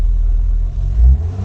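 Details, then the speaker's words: Acura 3G TL Type S with engine swapped in from an RL, running after new exhaust flanges and a third cat ended the exhaust leaks: deep, even note swells smoothly with throttle and settles, no stumble or knock; healthy rev. "Yeah, smooth acceleration."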